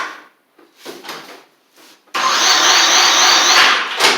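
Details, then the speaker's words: Murray 24-inch riding mower, Briggs engine with water in the fuel and rust in the engine, new battery; starter spins it over with an even churn, about four pulses a second, never firing; cranks but won't run, owner plans to drain the fuel and clean the carburetor. "so it starts up but uh does not dry or does not run at all uh it just turns over"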